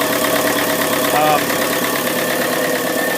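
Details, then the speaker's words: Yanmar 4JHE 44 hp marine diesel after valve seal change and injector rebuild with correct nozzles, starts right up at throttle 2 then set to about 1,000 rpm: even steady idle, brief faint whistle, no knocking; quieter than before. "Starts right up. Take it down to about 1,000 RPM. There's at 1,000 right now. It's actually a lot quieter than it used to"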